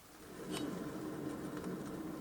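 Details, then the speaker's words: 2004 Toyota Corolla wheel lifted and spun by hand: a faint, steady rolling rumble with a few light clicks. This is an early-stage worn wheel bearing that will soon be damaged. "That kind of sound, like rolling sound, it means that now there is some issue, starting issue. Soon my bearing is damaged."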